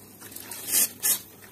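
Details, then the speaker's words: Gas combi boiler heating radiator being bled after system pressure is raised to about 2 bar: two sharp hissing, spitting bursts as the bleed valve opens, releasing trapped air along with water. Trapped air in radiator. "İçindeki havalar böyle ses geliyorsa bilin ki içindeki hava dışarı çıkıyor artık."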